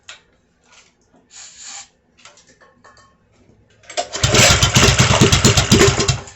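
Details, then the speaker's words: Baja Racer DB30 97cc minibike after engine swap, first test run: weak attempts then catches on starting fluid, running with an uneven, lumpy beat; owner suspects the carburetor needs cleaning. "i'll find out here in a few minutes it didn't want to start so i used starting fluid"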